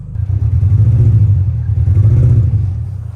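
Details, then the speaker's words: Mini Cooper in limp mode after a restart; near-perfect idle with a very slight waver, and the engine revs up cleanly and smoothly with a deep note and no misfire or stumble, so the cause remains unclear. "look at this Idol Practically Perfect I mean very very slight waiver that's nothing right listen see rev smoothly"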